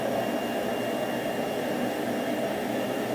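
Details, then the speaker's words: Mermak Probotsan CNC Multimax router's blower-type vacuum pump running: loud, steady rushing roar with an airy whine, no pitch change; owner thinks standard vacuum motors run quieter; loud vacuum blower noise. "bu makinenin vakum pompası yani Blow gürültülü çalışıyor sanırım standart vakum motorları daha sessiz çalışıyorlar şöyle açmak gerekirse bu ses sadece vakum e pompasından çıkan ses"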